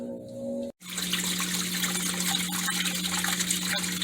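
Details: Kenmore Series 500 washer after drive hub replacement (worn hub had left clothes wet and agitator free-spinning): steady rushing water with constant low inlet valve hum, no knocks or grinding; fills normally.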